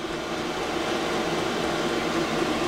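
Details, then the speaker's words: 5KW Chinese diesel air parking heater running in 8'x14' shed, 25F outside, 12V lead-acid battery, air intake pipe not installed: steady fan-like rush like a household fan on medium/high, soft hum, no knocks or surges; normal running. "is not as loud as what people say it is it sounds almost like a household fan or medium or high speed it would be quieter if I had the air intake and the air I'll take pipe installed"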